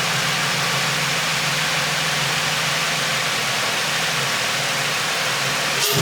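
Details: Infiniti G35 drift car, first start after installing a low-mileage engine, Godspeed exhaust: steady, even engine note with no knocks, ticks or misses and a smooth settle; no leaks noted. Normal running.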